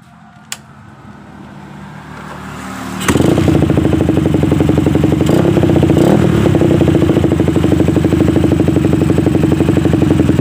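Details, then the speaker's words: Suzuki Satria FU, after repair and after reassembly with care to seat the cylinder-block oil seal rubber so oil doesn't leak: quiet for three seconds, then the single fires up and settles into an even idle of about four pulses a second; running normally. "dan Sekian dulu video kita kali ini nyala kembali"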